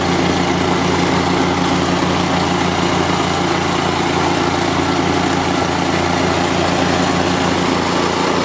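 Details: Market plate compactor with an unknown Chinese engine (Honda GX160 or Loncin 196 copy) that started then died; the oil sensor is reconnected for the test. Steady, even single-cylinder chug at constant speed with no misses or cutting out, the sensor okay, running healthy.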